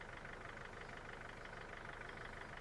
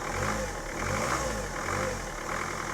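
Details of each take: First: Mercedes Sprinter diesel van first start after five years parked, cranked to draw fuel from the tank: steady, even diesel clatter at idle with no misses or odd knocks; normal idle. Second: Mercedes Sprinter van diesel, unstarted for five years while used as a yard shed, heard with the bonnet open: slow, uneven cranking to draw fuel from the tank, then it catches and runs roughly.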